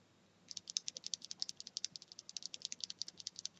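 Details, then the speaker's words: Cherry MX Silent Black switch (looped and unlooped) pressed: rapid sharp high ticks, about eight a second; ticking depends on switch orientation, silent when turned around; cause unconfirmed. "super silent but the switches keep making this ticking noise which annoys the heck out of me and it seems that no one really has had this problem"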